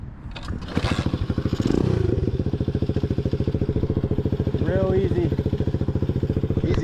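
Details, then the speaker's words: Chopper with a new 125cc 4-speed single after a reworked exhaust: small single thumping at an even three to four beats a second, steady and smooth healthy idle, sounding way better than before. "sounds good yeah it sounds awesome way better sounds good guys it's got a nice little St to it yeah I'm happy with that way better"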